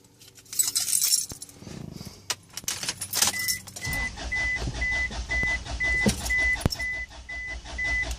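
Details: 2004 Isuzu Rodeo 3.5L: keys rattle, then the starter churns steadily under a chime beeping twice a second and the engine never catches; cranks but no start.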